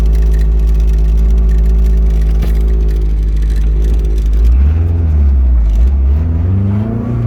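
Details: Boosted Honda D16 with 4.7 final drive, at about 210–225°F, drones then stumbles and surges as rpm climbs; misfire from a cracked distributor ignition coil, later also rod bearing wear and blown head gasket.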